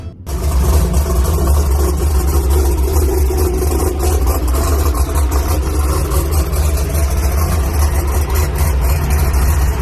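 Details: Drag race car just fired up at Brainerd International Raceway while chasing an oil leak: deep, even, lumpy V8 rumble that settles quickly after startup and holds steady with no knocks or misses; healthy race engine idle.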